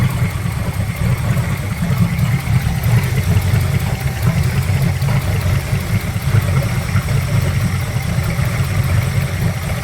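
Even, steady low idle with no misses, knocks or hunting; the engine settles in smooth and runs healthy.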